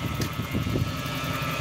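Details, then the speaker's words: Lexus LS 400 V8 idling after fuel rail O-rings were checked and the injector leak was fixed; a thin, constant whine rides over the low idle from a noisy power steering pump, not yet replaced. "the only thing and i'm pretty sure you can hear it is a noisy power steering pump"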